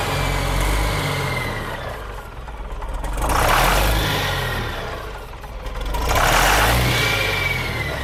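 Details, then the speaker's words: John Deere 6068T diesel, abandoned machine, being bled at the injector lines: surges and sags twice in eight seconds, never settling, sounds fuel-starved without a good prime; small leak at fittings. "Still, this don't sound like it's got a good prime."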